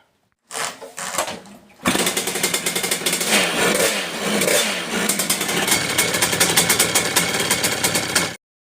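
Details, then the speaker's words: Two-stroke motorcycle with Ignitech ignition, after retiming pickup, crackles to life and revs hard and steady with no dropouts; previous misfire coming onto the pipe is gone. "as you saw yeah it's been a good result we got rid of that misfire"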